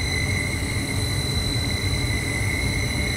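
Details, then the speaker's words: Carrier 58CVA110-20 natural gas furnace, inducer motor Jakel J238-150-15217: steady high-pitched whine near 2 kHz and 4 kHz over a low motor rumble, ringing through the whole house; inducer motor later rebuilt or replaced. "i don't know if y'all can hear that huge whining"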